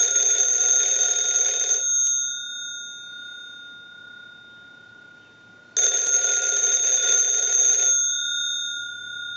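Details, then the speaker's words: AT&T candlestick telephone with bell box, plugged in and ringer tested because ringing was one of its issues. Loud metallic ringing in even bursts of about two seconds with long pauses; ringer works properly. "So we'll just turn we'll go ahead and plug the unit in, and we'll ring the unit. We're going to let that go a few times since that was one of the issues."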